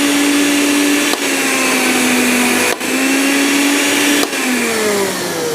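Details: Blender on a 450 W (2 A) household supply with an anti-trip unit, water pump and iron also on (about 900–1000 W): steady high whine dipping briefly at each speed change, smooth and no stalling, breaker holds, normal running.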